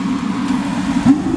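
A steady, even roar with no popping or sputter: the burner has lit cleanly and is running properly.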